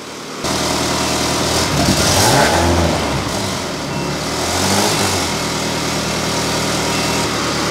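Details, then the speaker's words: Ferrari V8 in an Alfa 105 (Alfarrari), after plugging a hole in the back of the inlet plenum: steady, even cold idle at 1200 rpm (drops to 950 when warm), smooth unbroken beat with good oil pressure; runs cleanly. "all right that sounds so much better it's it's idling at uh 1200 RPM which is what it's set to idle at at um when it's cold and as it warms up it drops down to 950"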